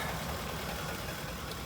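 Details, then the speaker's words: Ford F-150 at short, steady even idle with no knocking or hunting, after fixing a massive vacuum leak from a disconnected hose; previously lean with O2 sensors pegged low, long-term fuel trim now active, drives good. "All right, so just a recap. Uh that F-150, it drives good now. Just a massive vacuum leak. That's all that it was."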